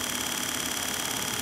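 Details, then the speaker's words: Wheelchair motor after commutator cleaning (commutator still needs resurfacing), run on 12 volts: even high brush whir with a fine steady ripple and no grinding, much quieter than its earlier terrible sound; squeaks begin once the gearbox is engaged. "you could hear that this motor sounded terrible and it's a whole lot more quiet now"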